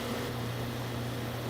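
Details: Goodman condenser unit on R22, about 65 degrees outside, fans and compressor running after a bad capacitor was suspected: steady low compressor hum under an even rush of fan air, no rattles or surging; runs normally, refrigerant a little low.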